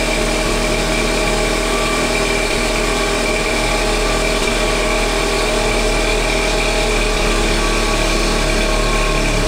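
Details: Normal cold start of a 1.4 TSI 122 HP engine after sitting overnight: a loud exhaust rumble at raised idle with the turbocharger clearly audible while the catalytic converter heats, lasting about 20-30 seconds before going quiet.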